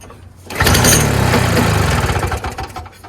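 Small two-stroke fires and runs rough for about two seconds on choke, then fades out; fuel starvation from a restricted supply.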